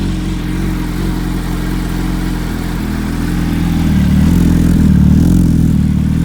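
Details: Warm 2005 Yamaha R1, engine rebuilt a month earlier, on its third oil change with rings seated, full titanium TI Force exhaust: a smooth, even note settles, then climbs cleanly when revved with no knocks or rattles, sounding healthy.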